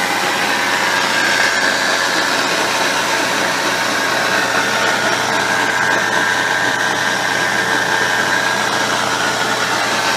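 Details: 2006 Subaru Impreza WRX STi Spec C (GDB), EJ207 engine, 6-speed manual, 55,599 km: steady running noise with thin wavering whine, traced to a worn bearing in the transmission extension (rear) case.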